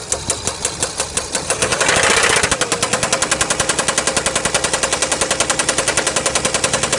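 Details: Chrysler 300C CRD diesel (OM642) misfiring with white smoke; a loud, sharp, rhythmic knock hammers steadily throughout; owner asks whether it is a spun bearing, big ends or piston rings, cause not confirmed.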